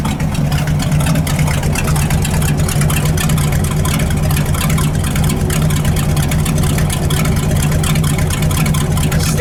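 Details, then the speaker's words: 1978 Ford F-700 V8 with new plug wires, not fully warm, carburetor mixture screws being adjusted from slightly rich. Lumpy, uneven idle that never settles, with a tiny exhaust manifold gasket leak audible. "sounding a little off. I can hear a tiny exhaust leak over there. That's a manifold gasket."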